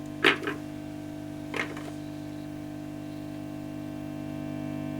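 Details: Early Orange Matamp ORST guitar amplifier with a stubborn hum problem, during hum-reducer coil adjustment: steady, loud low buzzing hum with a rough edge under a couple of knocks; mains hum getting into the amp, cause suspected.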